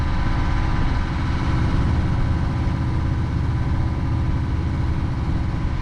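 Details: Sailboat's inboard diesel working again after an essential repair, under way leaving the marina about a mile out: steady low thrum, even firing, no knocks or misses under light load. Healthy running.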